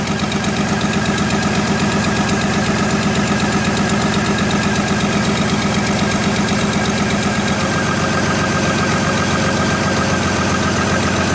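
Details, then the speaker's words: GM Trailblazer running after a stall/no-start fuse fault, scoped with an amp clamp: rough, uneven idle with a lumpy beat about four pulses a second, a misfire from a missing ignition coil / dead cylinder. "drop the time-base a little bit there you go we're definitely missing a an ignition coil"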